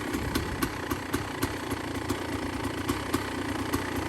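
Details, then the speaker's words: Kawasaki KX500 two-stroke dirt bike, cold start after sitting for months, after tightening a loose coolant hose near the radiator: fast, even idle with light popping rhythm, no knocks or rattles, warming up to check for leaks; normal healthy idle. "You hear that joker purring? Gonna let him warm up a little bit"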